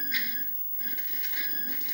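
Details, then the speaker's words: Commodore 1084ST monitor speaker: music breaks up with scratchy crackles as the volume knob is turned, suspected dirt on the volume control needing contact cleaner; sound is also coming from only one channel. "I think that needs contact cleaner. That crackling."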